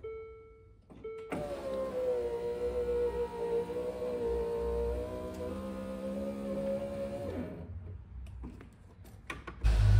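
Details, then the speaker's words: Land Rover Discovery 2 power window after fitting 3D-printed regulator rollers, tightening loose motor screws and cleaning the motor: steady motor hum rising evenly for several seconds, no grinding or stalling; window runs smoothly. "I mean that sounds better wow oh yeah look at that"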